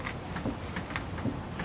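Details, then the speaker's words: Cadillac, car being moved: a high, chirping squeak repeats about every 0.9 seconds with wheel rotation from the right front. Owner suspects a dry CV shaft; a new CV axle has been bought, cause unconfirmed. "From that right front, it's probably that CV shaft. Probably been running dry for a while, so getting too old for this."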